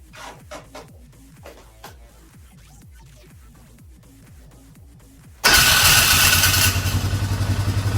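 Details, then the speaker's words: 2012 Polaris Sportsman 500 H.O. during an oil change, after shop work for flywheel issues: quiet steady ticking crank about four beats a second, then a loud harsh roar; owner suspects the starter is staying on, not confirmed. "boy that starter don't sound right that starter sounds like it's staying on that may be how it sounds that that starter don't sound right"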